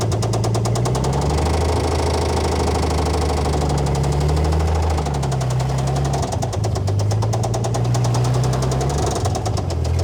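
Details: Old Dodge Power Wagon flathead on a temporary fuel setup, no cooling system: steady low idle with a sharp regular knock riding every few firing strokes, not fading; rod knock.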